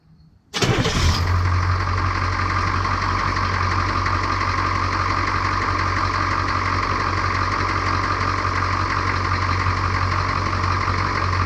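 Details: 1982 K20 Suburban diesel 4WD 3/4 ton, revived after 3+ years sitting, restarted after a 20-minute run and coolant drain: it cranks briefly, catches at once and settles into a steady, even idle with no knocks or misses. It sounds healthy.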